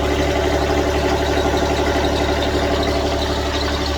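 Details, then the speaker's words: Toro 7210 zero-turn mower diesel idling after a chilly-day cold start, ticking over about four beats a second, steady and even. Normal idle; owner suspects a separate hydraulic pressure control valve fault. "A little chilly out here today. Smoothing out. Little yam out diesel."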